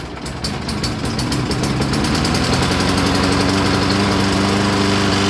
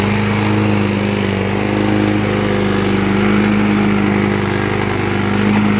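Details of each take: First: 2003 Toro Recycler push mower after a gas leak was fixed and a new pull rope fitted; primer suspected faulty. Starts and settles into a steady, even single-cylinder chug with no misfire or surging. Engine now running good. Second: 2003 Toro Recycler single-cylinder mower after engine repair, fuel still burning off some water: loud steady drone with faint uneven rattle; engine now runs good, owner suspects something on the deck or a bent blade.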